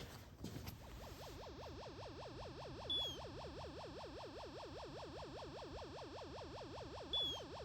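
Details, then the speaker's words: Space Encounters arcade board with monitor unplugged and corroded edge pins: warbling siren tone loops nonstop; owner suspects the fire button is stuck down; sound board looping one sound. "that sounds like the fire button. and the fire button stuck down."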